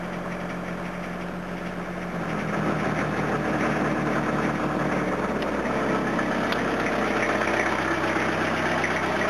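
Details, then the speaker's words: Diesel car on a cold start after a cold night, given extra throttle: the clatter rises as revs pick up, with an uneven, lumpy misfiring beat, as if one cylinder isn't firing properly. The owner suspects that cylinder is over-fuelling, which would fit the heavy smoke on acceleration. Cause unconfirmed. "it's not the happiest here it's a bit misfirey i'm good now just feels like it's over fueling in the cylinder"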